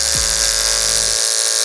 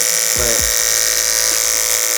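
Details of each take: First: Hair clipper with a dull blade, before diamond-wheel sharpening, cutting a thick chunk of wig hair: the high buzz sags and slows each time it bites, the motor bogging and labouring, though it still cuts. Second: Hair clipper after the blade was sharpened on a block, cutting hair: steady high buzz stays even with faint soft ticks as hair passes; no longer pulls each hair as when dull, now smooth.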